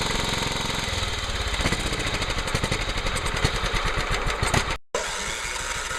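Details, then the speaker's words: John Deere STX38 Hydro lawn tractor, after a stuck-open carburetor float filled the crankcase with gasoline, fixed with a new carburetor, oil change, PCV breather reconnected and throttle adjusted: small single thumps at a steady even beat, no misses or knocks; runs fine. "i connected up the pcv breather pipe to the carburetor adjusted the throttle seems to run fine seems to cut grass fine"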